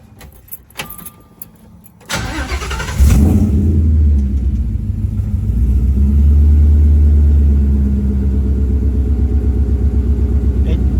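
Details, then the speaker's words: V8 on cold start after swapping a suspect coil for P0352 code: cranks, catches and settles into steady even idle, all 8 cylinders firing, no misfire; normal cold-start idle. "It's sounding pretty good. That's actually sounding nice and clean. It is technically still a cold start, but it 100% sounds like all 8 are firing though."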